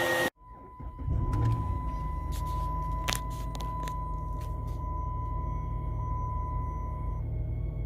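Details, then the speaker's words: 2008 Dodge Charger 3.5 L V6, under-hood at idle and revving, before alternator replacement: thin steady whine over the idle rumble, louder with revs and fading as rpm drops; worn alternator. "there you go you can hear the alternator winding a little bit now rev it up there you go you can hear their wine a little bored"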